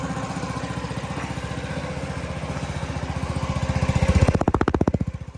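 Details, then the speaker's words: 2022 Honda Ruckus scooter after no-start repair, carb previously serviced: even single-cylinder putter at a low idle, then a clean blip of revs and smooth return; fired up easy, running right. "Sound like a bobcat. All right, that's a good start. Fired up easy. I got the idle real low."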